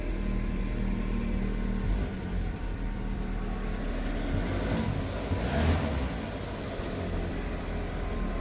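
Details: MK6 VW Golf 1.4 TSI turbo with full service history, just started: a low, quiet, even rumble with no ticking, knocking or misses; the engine idles smoothly.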